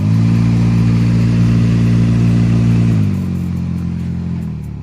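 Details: Maruti Alto K10 AC blower fan, sudden noise: loud steady low drone with fast flutter winding down when switched off, possibly debris in the cage; noisy AC blower fan.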